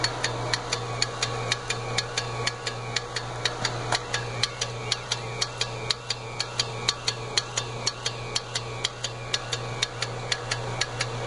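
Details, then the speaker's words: Newly installed UST1102 pool pump motor humming with sharp clicks about twice a second at the back of the motor: centrifugal start switch (governor) opening and closing; pump never completely fills the skimmer basket in front of the motor. "Jim, that clicking sound is coming from the back of your motor. It's the governor opening and closing."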